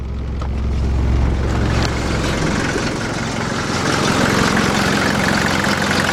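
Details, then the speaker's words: 1981 Mercedes-Benz 240D diesel running rough while cold, improving as it warms: loud, uneven clatter at idle, with the whole vehicle and the coolant reservoir shaking, worse and squawking in Drive. "if I like to go out see how we hear it like the whole vehicle shakin then actually look up under the hood and you can see the reservoir tank have that shaken put it in Drive things really shaken squawking"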